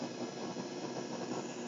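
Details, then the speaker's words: MacBook Pro running Snow Leopard: constant fizzing, wavering crackle on the audio output regardless of volume, varying with graphics activity; graphics card interference leaking into audio. "when I cause Graphics things to happen you can hear the graphics card is generating sound that's being fed out of the the audio"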